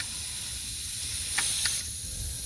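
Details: Flat tire on a 2006 Honda Odyssey, valve cap off; steady thin hiss of air escaping from a leaking valve core, before core removal.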